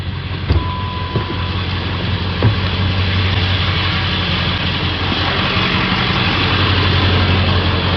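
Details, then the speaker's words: 1999 Ford 7.3 Powerstroke diesel after the bad injector was fixed and a test drive; deep, even idle rumble with no lope, all cylinders firing smoothly. "very smooth now"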